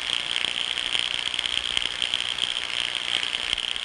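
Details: Ultrasound recording of a 30 amp circuit breaker feeding an inventory control server: irregular crackling buzz with fizzy high tone and uneven pops; electrical tracking.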